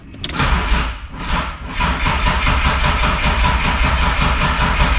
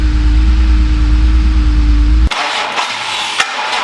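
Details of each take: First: BMW E36 M3 with S52 engine, unregistered since 2018, starter circuit jumpered to bypass a Clifford aftermarket alarm: steady rhythmic crank for several seconds but never fires, as EWS immobilizer isn't communicating with the DME. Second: BMW E36 M3 S52, unregistered since 2018 and long stored, first start attempt in park after charging the battery: cranks, catches quickly and settles to an even idle with no knock or misfire, and almost no warning lights.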